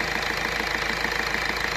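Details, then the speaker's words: Ford Fiesta diesel idling after injector seating-washer repair and timing belt work: even, regular clatter with no hissing or puffing between beats; the earlier injector compression leak is gone, normal idle. "இப்ப அந்த கம்ப்ளைன்ட்டே இல்ல compression எதுவும் league ஆகல"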